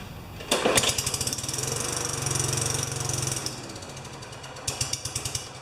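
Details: Tecumseh 4 HP Yard Machine mower, primed: catches with rapid uneven popping, runs about three seconds, dies, then sputters briefly; won't keep running even with the dirty air filter removed. Carburetor suspected, carb clean planned.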